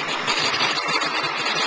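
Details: 2001 Ford 7.3 diesel, earlier a no-start, back running: steady diesel idle with even low pulse and clean clatter, no misses or stumbles; running normally.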